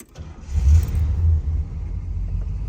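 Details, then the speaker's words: 1972 Ford Thunderbird with Edelbrock carburetor, cold engine, pedal pumped once to set choke: brief crank, catches at once, blips up and settles into steady rumbling idle; normal cold start and idle. "you can see, fired right up. Very nice. So, runs beautifully, it really does."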